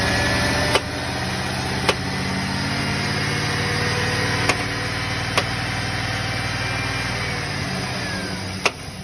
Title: GM MOTOR LIFTER POP SOUND ? What is this sound ?